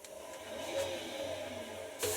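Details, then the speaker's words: Bosch WFF 1401 washing machine drum turning with smooth, even whir and light hum, no rumble or grinding; motor, drum bearings and spider sound healthy. "And listen to that, the motor sounds fine,"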